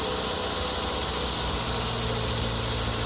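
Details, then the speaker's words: 2008 Mazda 3 2.3 DOHC 16-valve four-cylinder after replacing coil packs and spark plugs for a cylinder three misfire: steady, even idle with low hum, no stumble, nice and quiet; check engine light still on; normal idle. "seems to be nice and quiet now."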